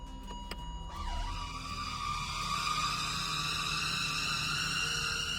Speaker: Customer states, "My car sounds like an elephant when putting it in drive."